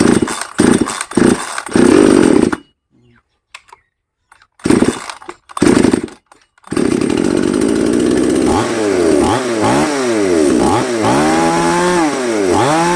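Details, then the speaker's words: Chainsaw (5200 class), as received, unadjusted, broken choke linkage, compression about 70–80%: starts, revs up in short bursts then cuts out twice; owner reports it dies once hot, stalls whenever throttled. "เพราะว่าตอนนี้คือสตาร์ทติดครับติดแล้วเร่งไปแป๊บนึงก็วูบวูบดับไปเลยประมาณนั้น"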